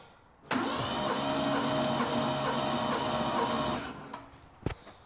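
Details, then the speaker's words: Ford Capri 2.8 V6 cranking for compression test, gauge on cylinder 1, jump pack on, battery suspected dying: slow, uneven, labouring starter whirr about two beats a second; cylinder 1 read about 104-106 psi, slightly low. "I've just tried it with the jump pack on because it sounded like that battery was dying off as well."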